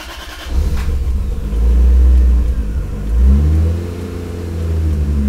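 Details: Lexus IS300 on the first start after relocating the ECU to the interior and rerouting the engine harness, O2 sensors unconnected: catches after a short crank, swells with a couple of light revs, then settles into an even, steady run despite a very lean exhaust smell.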